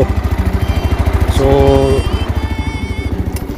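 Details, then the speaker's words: Yamaha Mio Sporty scooter that misfires and loses power at full throttle, after cleaning, fresh gasoline and idle tuning; pulser is new: steady even putter about three beats a second, no misses, clean normal idle. "So umandar naman siya mga paps. Umandar siya. Umandar. Normal lang umandar."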